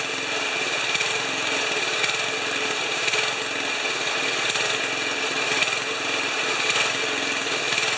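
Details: 1973 Tecumseh snow blower engine, first run after carburetor reinstall, on choke. Fast, even buzz with steady firing, no misses or knocks; normal running.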